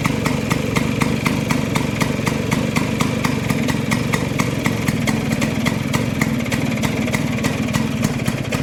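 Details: Vespa two-stroke after carburetor setting, both jets fully tightened and air screw at two turns; crisp, even popping at about four beats a second over a steady low drone, normal idle.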